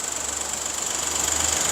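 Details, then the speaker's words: Fast, sharp ticking at cold idle, heard through vibration sensors on the high-pressure pump, CVVT, rear of the head and the block; it drops out briefly and returns, loudest on the pump channel. Mechanical fault in the high-pressure fuel pump; noise expected to fade once hot. "열 받으면 갑자기 안나고 방금도 열 받기 전인데도 소리가 확 죽었다가 또 확 살아나잖아요 기계적으로 문제 있는 거예요"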